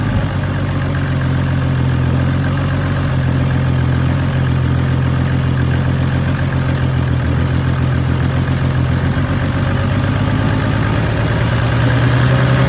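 Deep diesel idle with an uneven, lumpy beat that rises and falls instead of ticking over smoothly; rough running, cause not yet pinned down.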